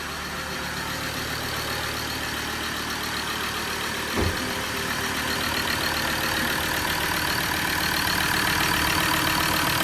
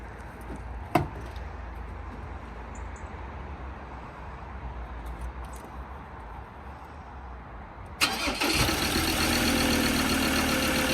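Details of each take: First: Recently bought Ford Ranger diesel with leaking injectors, a missing injector washer and loose bolts; it idles rough and very noisy, with a steady airy hiss over the knock from a badly blocked, blowing EGR valve. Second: Ford Ranger diesel after EGR valve refitted with new gaskets and bolts (was blowing, fire risk): starts quickly and settles into a loud, steady idle; the exhaust hissing heard before is gone.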